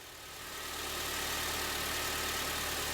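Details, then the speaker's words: 2006 Acura TSX, rough idle with the check engine light on, after replacing an ignition coil. A steady, even idle hum with no misses, stumbles or shaking; runs smoothly on all cylinders. "If this in fact was the issue, the idle should be very smooth."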